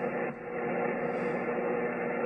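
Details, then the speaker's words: Power line interference received at home ham radio station on 160 m from nearby power poles: harsh steady rasping buzz with fine rapid crackle. "Well, back at the station. And this is the noise that I've got on 160 m."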